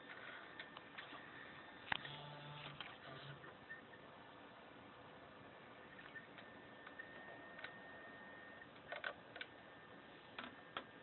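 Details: JVC deck making irregular light mechanical clicks and ticks from the tape transport over a faint steady hum; mechanical fault, cause not identified.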